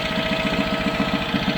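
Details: Barn-find bespoke three-wheeler with Citroën 2CV twin, stored 25 years, first start on starting spray and borrowed battery: even putt-putt about seven beats a second, no misfires or stumbles; twin idles smoothly.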